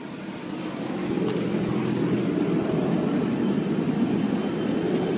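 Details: Audi A4 B7 after an oil change: engine settles to idle with a rough, loosely regular knock near three per second under the running noise; source unclear. Engine knocking noise.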